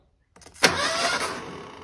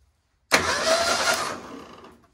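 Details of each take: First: 1978 Ford Pinto cruising wagon, long-sitting: a sudden click, then the starter turns the engine over immediately on connecting the battery with nothing switched on; the brand-new starter solenoid is stuck on. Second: 1978 Ford Pinto cruising wagon, long-sitting: starter solenoid jumped with battery cable, bypassing ignition switch; strong whirr about 1.5 seconds winding down cleanly, engine spun briskly, starter healthy, so something else causes the no-turnover.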